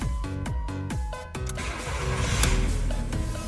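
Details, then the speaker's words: Car that became hard to start with high fuel consumption, started after cleaning and refitting all 4 fuel injectors: about a second of cranking, catches first try and runs steady and smooth; problem fixed. "一把着！哇，动力特别强劲。走，去前面看看。发动机运转的特别平稳，问题已经彻底解决了。"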